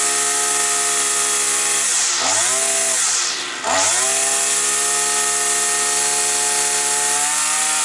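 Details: Petrol brush cutter that used to start, then cut out; a bent crankshaft was found. After the repair a steady high two-stroke buzz dips twice under throttle and recovers cleanly, and the flywheel runs true: normal running.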